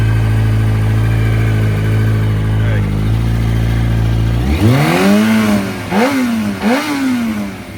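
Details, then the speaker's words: Yamaha R1 after knocking-noise diagnosis and big-end bearing check, warm after several heat cycles with cooling fan running: steady, even idle without ticking or knocking, clean throttle blips rising and falling smoothly; normal idle. "You can hear the fan running, and from here you can hear she sounds great."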